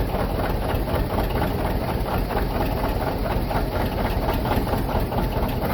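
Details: John Deere 730 diesel, rebuilt water pump, first start in about 8 years after sitting in a shed, clutch engaged: steady, even low diesel chug at a constant level with no knocks or misses; healthy normal running.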